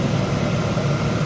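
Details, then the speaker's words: 2004 Jeep Liberty with a no-crank fault, running after grounding with a new ground wire and feeding voltage to the start fuse; low, steady idle hum with an even beat and no misses or knocks. "fuse there it is release it done deal just running"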